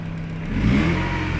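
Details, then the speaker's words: Chevrolet Lova with shaking, stumbling, powerless engine, after new fuel pump and regulator: revs rise on throttle then turn uneven and lumpy instead of pulling cleanly; misfire under throttle. "kita gas juga langsung dapat ya teman-teman nah ini langsung pincang dia langsung pincang seperti ini"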